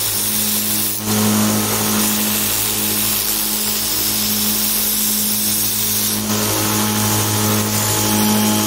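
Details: DIY 2x72" belt grinder, 2 HP motor with VFD, 4080 aluminum profile frame, no platen, grinding against the belt: steady motor and belt hum with faint uneven ticking about twice a second from a badly glued, overlapping Chinese sanding belt joint slapping over the wheels.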